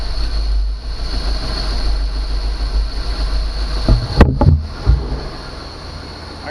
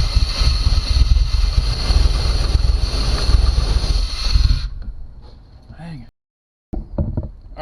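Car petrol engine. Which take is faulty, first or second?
second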